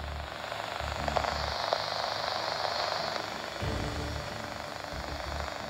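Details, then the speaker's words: Scanner radio tuned mid-range of the powerline adapters' transmit band: steady hiss with gentle popping, the idling effect of two powerline networking adapters with no data transferring between them. "I've just turned the scanner on set it to a random frequency in the middle of the range that the giggle chipset transmits on and as you can hear gently popping in the [Applause]"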